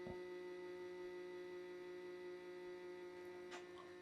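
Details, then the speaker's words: Desoldering station cooling fan, rough since new, heard while repairing a non-powering PS4 CUH-1202B: steady buzzing drone with a hard edge; noisy fan. "I think I did a review on that desoldering station and yeah, the fan was never good from the start."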